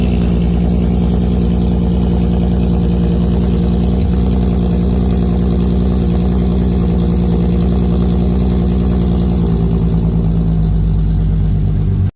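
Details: MK1 VW Rabbit GTI with swapped 3.6 VR6 and new 3-inch cutback exhaust at cold idle: steady deep even drone, smooth regular beat, no knocks or misses; healthy.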